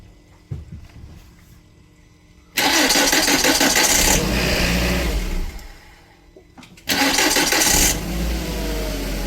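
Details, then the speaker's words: 2001 VW Beetle 1.8T with code P0322 and intermittent hard starting: two short cranks, each catching at once and revving cleanly; fault not present this time, normal quick start. "now the car is not doing the problem now ah I don't like it because when you're not having the problem present so it make you the it makes hard to do it you know"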